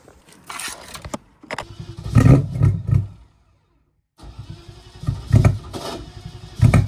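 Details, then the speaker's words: BMW E30 with M60 4.0 V8 swap, intake manifold just removed and refitted while chasing suspected knock sensors; cranks in uneven bursts with loud popping backfires through the intake, like a fireball, but never runs on its own: cranking with backfire, no start. "nice that sound like a fireball really goodu"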